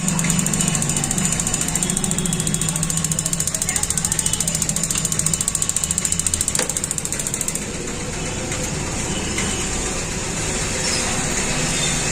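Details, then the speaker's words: 6-litre gas geyser that would not start: rapid, even spark-igniter ticking, a bit over two per second, then stops, as the sensor magnet is slid up and down. The magnet inside is likely jammed by dust or debris. "जैसे ही मैं इस magnet को ऊपर नीचे slide कर रहा हूं तो हमारा यह जो फंक्शन है पूरा प्रॉपर तरीके से काम कर रहा है"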